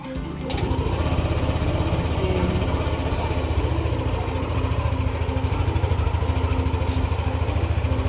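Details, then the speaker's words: Yamaha NMAX 155 V2 after spark plug and plug cap replacement and magneto-area work, jump-started on a low battery: catches at once and settles to an even, steady idle; previously hard-starting and needing push-starts, now starts in one click. "So ayan, kitang-kita niyo naman yung performance ng motor. Yung dating pahirapan sa pag-push start, ngayon one click na."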